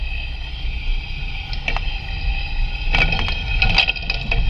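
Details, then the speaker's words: Vehicle driven over bumps with ChassisEar clamp microphones on the suspension: dull clunks at uneven intervals under road rumble; struts and strut mounts already replaced, so the clunk is suspected to be elsewhere, source not confirmed. "we're going to set these up on a vehicle that is making a kind of a clunking sound and it this the sound sounds like bad struts except the struts have been replaced as along with the strut mount so it it's probably not strut related it's probably something else"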